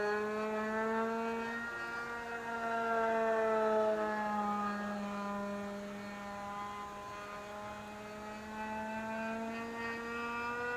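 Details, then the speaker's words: Vintage RC plane glow engine after swapping plugs: steady high-pitched buzz holding an even note with slight drift, no misses or sputter; normal running, plug swap was the fix. "That sounds better without plugging it too. Yep. That's all it was, you had to swap plugs."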